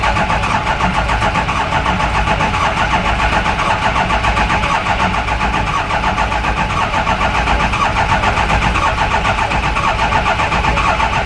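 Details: Lifted 4x4 Ford 6.0 Powerstroke turbo diesel van, no-start after bulletproof kit, injectors and head studs; cranked after freeing a metal sliver from the oil pressure regulator, steady diesel clatter, even knock, catches and keeps running: normal cranking and starting.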